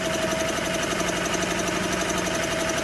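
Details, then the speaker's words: 1984 Honda EM600 generator, bought not running and being revived: a small single-cylinder engine chugging steady but slow and soft. The engine speed adjustment is backed way off, giving only 41 AC volts, about 100 volts low. "okay here we go just start I might have it way too slow but she's a quiet little thing in that"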